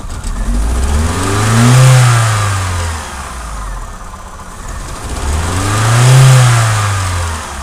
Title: Opel (Vauxhall) VectraB (Z16XE 1.6 16V) P0304-00 Cylinder 4 Misfire Detected